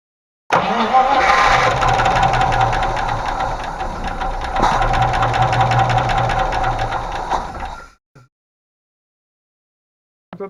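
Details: Range Rover Classic 3.5 V8 after rocker replacement and intake manifold cleaning: starts and idles with fast light tapping as hydraulic lifters clatter, oil having drained out through the removed oil pressure sensor port, then shuts off.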